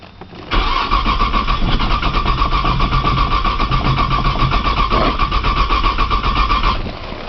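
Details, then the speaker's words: 1995 Nissan Maxima with 210,000 miles and an aftermarket push-button start, cranked in snowy cold: the starter churns evenly about four beats a second for several seconds and never starts. Owner suspects a bad sensor and tries priming fuel. "she does not want to crank today"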